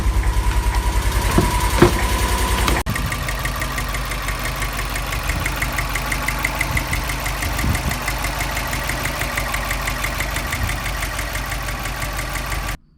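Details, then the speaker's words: 2001 Subaru Impreza 2.5RS with 2003 WRX EJ205 engine swap, just started: fast light tick about twice a second over a steady idle, unchanging; owner suspects the injectors, source unconfirmed. "all right got the car started there's still a ticking noise but it might be the injectors"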